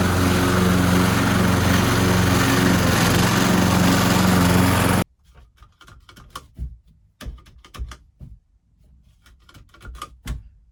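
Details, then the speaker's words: Old petrol lawnmower after cleaning the clogged carburetor jet, likely blocked by debris from a rotting fuel hose or the tank: an even, steady buzz for about five seconds with no sputter, then shut off. "So what has happened is probably likely it has sucked up some debris from the old rotting hose, the fuel hose, or maybe some debris in the bottom of the fuel tank, and then just moved it to the carburetor. So let's put it back on the lawnmower and see if this helps."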